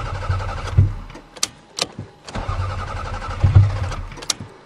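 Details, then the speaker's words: Toyota Camry cold start in snow: repeated bursts of cranking with only faint catches that never fire into a run, and no fuel pump heard; owner suspects fuel pump failure. "come on come on it's a Toyota I don't hear the fuel pump uh-oh oh no uh-oh we have fuel pump failure"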